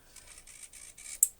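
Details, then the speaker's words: Model railway turnout servo slowed by Arduino code: faint buzzy movement in short chunks about every quarter second with gaps, ending in a click; uneven stepping, owner suspects the Arduino loop runs slower every quarter second during CMRI processing. "so the loop is probably taking longer every quarter of a second than it usually would"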